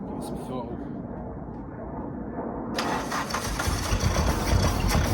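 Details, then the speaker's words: 1991 Suzuki Swift 1.6 AWD saloon, carburettor, cold start on start spray: weak quiet cranking, catches and roughens unevenly without settling, then dies; owner suspects no fuel, possibly the previously seized fuel pump, not confirmed. "it starts and then like this the cold start is evil on it rubbish but then that might the fuel pump not even working either"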